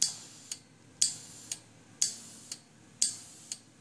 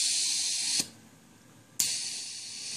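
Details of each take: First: Homebuilt ROV ballast system, solenoid releasing air from pressurized inner tubes: sharp click once a second with a short hiss trailing each; pneumatic air leak. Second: Homebuilt ROV ballast system: sharp hiss bursts of about a second each as the depressurize solenoid, triggered from a PlayStation controller's select button and set to fire about every second, opens and vents air; normal air release.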